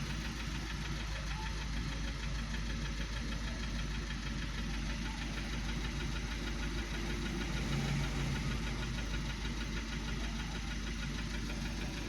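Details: 2012 VW Passat CC 2.0 TSI (EA888 gen 1, CCT), 189,000 km, cold engine with oil at the top mark: a hard tah-tah-tah knock about three per second, a piston knock.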